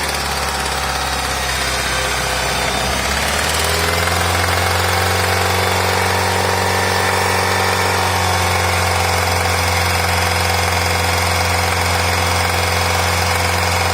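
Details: 2006 Nissan X-Trail T30: revs drop to a steady idle with a faint irregular knock, reported at 1,000, 2,000 and 3,000 rpm after a few hundred km on one-third of the oil, often at the rev limiter; cause unconfirmed.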